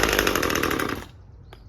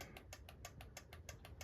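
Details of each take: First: Husqvarna T540 XP Mark III chainsaw, 136 hours and 1500 starts, choke on, test after a pump diaphragm replacement: brief cutout, ragged idle, then revs surge up and down; suspected fuel starvation persisting, unconfirmed. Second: Husqvarna T540 MK III, 136 hours run time, 1500 starts: engine stopped during auto test, quiet crisp clicks about six per second from the carburetor solenoid cycling normally.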